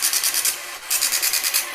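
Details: TRS-80 PC-1 printer interface with new homemade NiCad pack replacing shorted originals, plugged in and charging: fast, even high-pitched pen strokes in two bursts with a pause; prints normally, which failed with old shorted batteries.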